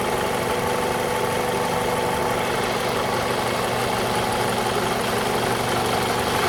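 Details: 2002 Toyota RAV4 petrol engine: steady idle with a fine rapid ticking knock on top; engine knock, owner suspects the VVT-i coupling, unconfirmed.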